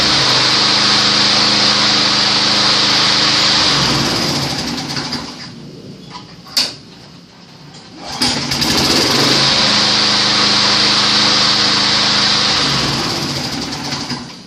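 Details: Small single-cylinder engine on a junk mower rescued from the trash. It buzzes at an even high pitch, drops away mid-clip, then picks back up and runs smoothly. Normal running.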